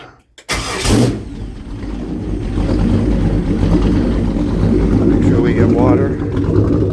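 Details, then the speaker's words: Jersey Skiff JS39 17ft Bender boat, inboard 350ci V8 of about 400hp with Edelbrock aluminium heads, upgraded cam and Holley 600cfm carb, cold start on shore water after a 2-year rest; brief cranking, catches and settles to a steady even rumble, healthy. "So, you know, run her up. Put the water to her and start it up."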